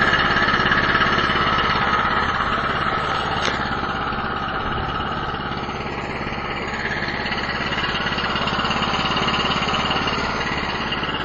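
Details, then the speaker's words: Cheap Chinese snow blower, choke on, about an eighth throttle: small single-cylinder engine catches on recoil and settles into steady, even chatter at fast idle, no misfires or knocks; healthy cold start and running. "so first thing we do is turn it on choke about an eighth of throttle and usually it starts on the first or second Pole"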